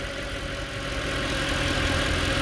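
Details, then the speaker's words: 2010 Mercedes E63 with 173k km, started from cold: steady, even idle with a smooth low hum, no knocks or ticks, secondary air injection pump audibly working; the engine sounds fine, a normal cold idle. "it sounds fine"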